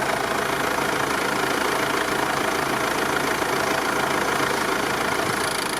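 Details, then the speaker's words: Mercedes OM651 diesel at idle: irregular knock about three per second that starts after the brake pedal is pressed, as the vacuum pump rebuilds vacuum; play in the vacuum pump drive coupling, fixed by replacing the vacuum pump. "если стук идёт после нажатия тормоза это 100% люфт в приводе вакуумного насоса"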